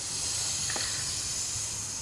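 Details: 1996 Dodge Intrepid after replacing coolant pipe 4596190 with a fabricated plumbing-part pipe. After the cooling system held a 15 psi pressure test, the pressure is released: a short, sharp, clean, steady hiss of air with no bubbling. The radiator cap seal is messed up and looks to be more rust than seal.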